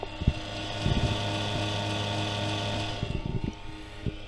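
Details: MFJ-4225MV switching power supply, about eight years old, on first switch-on: loud buzzy whirring drone with steady low hum from its worn cooling fan, later replaced with a Noctua 80mm fan.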